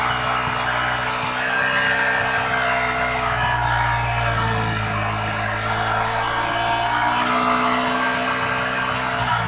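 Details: Yamaha Jupiter MX King after engine and radiator repair, warmed up at steady idle. The radiator cooling fan gives a constant whirring hum with no rattle or scraping: the fan is working properly.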